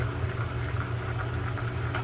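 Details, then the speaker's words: Shimano Calcutta 700 baitcasting reel rebuilt from mixed parts, handle turned: low hum with rough gritty pulse several times a second; gear grind persists after swapping gear sets, bad gears suspected throughout, not confirmed. "I think we got bad gears throughout."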